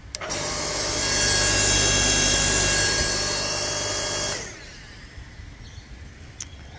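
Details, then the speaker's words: Ryobi 5-ton log splitter motor after replacing the capacitor with a CBB60 30uF 500V run capacitor: it starts instantly into a steady, even hum with a clean whine, then winds down smoothly when switched off. Problem fixed. "excellent so it's turning on instantly it's doing what the capacitor is meant to do and providing that um push that the mot needs to start"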